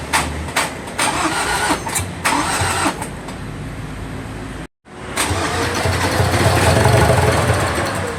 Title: Ford ranger 2.2 2018 crank no start